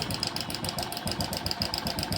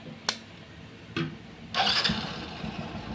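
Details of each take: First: Hero Passion Pro motorcycle, timing chain replaced 15–20 days to a month earlier, at idle: fast light metallic ticking and clatter keeping time with the engine; noise stopped when tested, traced to a failed cam chain adjuster (tensioner) needing replacement. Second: Hero Passion Pro motorcycle whose timing chain, fitted about 15–20 days to a month earlier, was noisy again; after tightening the worn part, it starts with a few clicks and holds a quiet, even idle with no chain noise.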